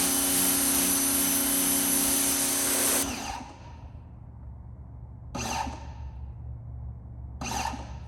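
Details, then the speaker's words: New Suyncll pressure washer (claimed 3000 psi normal, 2.2 GPM) on first use with 10-degree tip, fed from a well: motor whines, cuts out and kicks back in every couple of seconds; can't hold pressure, low well water pressure suspected. "So that part right there, that's one downside that we're coming across right now, is it can't seem to keep pressure, right? That's what that does."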